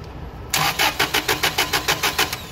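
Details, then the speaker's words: Toyota 8 Series 5,000 lb LPG forklift with a 4Y-ECS engine: after the screw was backed out counterclockwise to reopen the FCM passage, a steady crank of about five pulses per second goes on without catching; it still cranks long. "it's still long crank."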